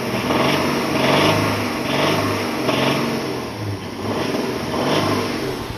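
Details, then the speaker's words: Petrol engine with the oil pressure warning light on, blipped repeatedly: metallic valve rattle rising with each rev because low oil pressure starves the engine of oil; engine flush planned. "Hear that rattling sound there? Well, that's because the oil pressure is not up to what it's supposed to be, and the engine is starved of oil. So when I give it gas, the valves rattle more."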